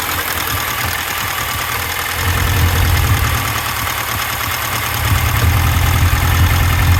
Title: Misfire on cylinder 4